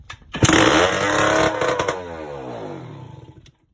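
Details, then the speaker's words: Yamaha Blaster two-stroke, first start after a top-end rebuild with a cheap eBay kit, choke on full, cold weather: harsh, very loud raspy bark surges, then winds down over three seconds. It is running open with no exhaust pipe fitted. "The exhaust was not on. That is my fault, 100%. Sort of blew up my eardrums and nearly wanted my neighbors wanted to kill me."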